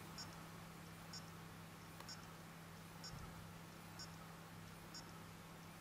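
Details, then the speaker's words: Acer Aspire AS5560 laptop in standby, factory default after return from support: the CD-ROM drive gives a faint whirring click about once a second over a low hum; the laptop runs hot and fails to hold low-power standby, a design fault. "Every second there's a whirring, clicking sound. Sounds like the CD Rom spinning. So the fault's still there."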